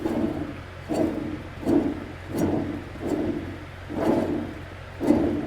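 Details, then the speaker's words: Cub Cadet 1529 riding mower deck spindle, its pulley spun by hand during a full deck service: a low rough grinding growl that fades as it slows. Spindle bearing growl from worn bearings, which are being replaced. "It still has what I would call a little bit of a bearing growl."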